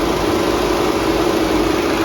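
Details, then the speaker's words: 2014 VW Beetle Turbo GSR after replacing a cracked dual radiator cooling fan assembly, engine idling with AC on max: both fans ramp up to a steady airy rush with an even drone, no vibration or rattle. "You can hear them ramping up. There you go. Now if you can see that, but both fans are running. They are not vibrating."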